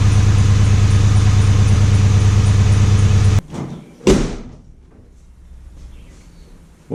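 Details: 2001 Ford F150 SuperCrew 5.4L V8 idling after a K&N cold air intake install: a steady, even low rumble at about three pulses a second, no knocks or rattles, then shut off. Healthy.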